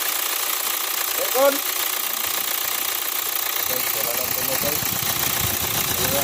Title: Kia Sportage 2014 model engine noise problem...